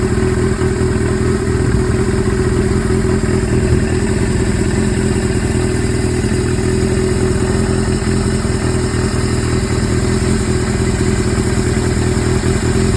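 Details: Suzuki GS-series four-cylinder (GS750/550/1000 tags) with CV carburetors, idling: loose, uneven clatter over the exhaust beat; abnormal mechanical engine noise, source not pinned down.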